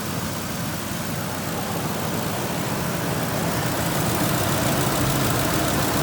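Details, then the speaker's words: Ford 5.4 L Triton V8 at first startup after timing chain replacement: a slight shake settles into an even, steady idle with no rattle or knock, no longer shaking and not the feared box-of-rocks sound. Normal idle. "really shaking like it was it's not a box of rocks give her a rev see if it"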